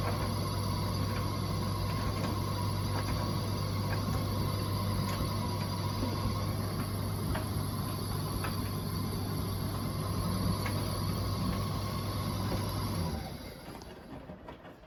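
Steady low drum hum with light regular ticking about four times a second until it shuts off; some mechanical fault, cause unclear.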